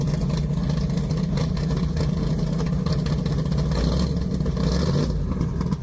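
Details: Deep, even idle with light revs, no ticking or knocking, from a big-block in a four-speed Polara 500; normal idle and revving, engine healthy.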